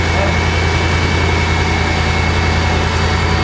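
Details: Mercedes 500 SL AMG package US model with misfires and check-engine light on: deep idle with uneven, lumpy beat around two to three pulses a second; misfiring at idle, owner suspects catalytic converter.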